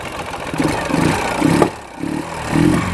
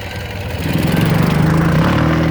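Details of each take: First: 2009 Ural Sahara Limited Edition 2WD sidecar motorcycle, under 9,000 km, twin not fully up to operating temperature, revved: lumpy blips with an occasional sharp exhaust pop; slight lean condition backfire while cold, nothing to be concerned with. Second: 2009 Ural Sahara Limited Edition 2WD sidecar, carbureted boxer twin, under 9,000 km, kick-started without enrichment shortly after running, chilly day: low lumpy beat settling into a steady even idle; sounds healthy.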